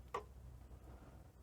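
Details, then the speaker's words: Toshiba V88 VHS VCR from around 1987, after belt kit repair: one short clunk at switch-on, then a faint low hum, as the tape loading motor kicks briefly; loading motor kick at power-on. "there is a little bit of a kick from the loading system motor."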